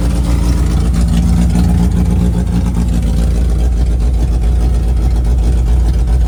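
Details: 1988 Suzuki Samurai parked since the late 1990s, running with no muffler from a temporary hung fuel tank: loud, deep, steady rumble with even beat, no knocks or misses. Engine runs normally.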